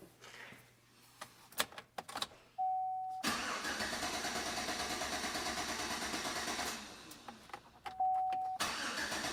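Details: Chevrolet Silverado that won't start, fuel pressure gauge on the Schrader valve reading zero: even cranking at about three beats a second for several seconds, and the engine never fires. No fuel pressure, traced to a failed fuel pump control module.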